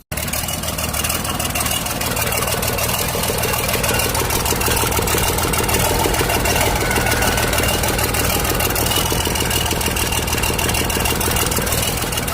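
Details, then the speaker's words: Volvo excavator diesel, sitting unused for 7 years, with a converted ignition switch and some cut wires. It now runs steadily with a firm, regular clatter and no misfires, though one minor issue remains. "Ayun may isue pa tayo konti. So umandar na."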